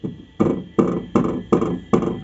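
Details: VW Voyage G6 door: each tap, about two a second, brings a hollow clattering buzz inside as the loose window regulator vibrates against the door sheet metal.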